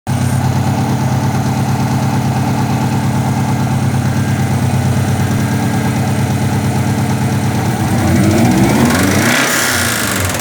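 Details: 2000 Subaru Forester EJ20 flat-four at idle: faint, steady knock about three a second under the low rumble; suspected early-stage rod knock, possibly from high oil temperature and poor oil quality. Cause suspected, not confirmed.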